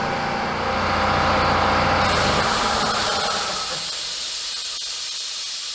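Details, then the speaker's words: 75-year-old Worthington 3-TTC air compressor reaching about 150 psi: a steady loud hiss easing slightly as the safety relief valve blows off; pressure relief valve venting. "wait wait a minute that's the over pressure complete silence we're at about uh 150 psi not bad"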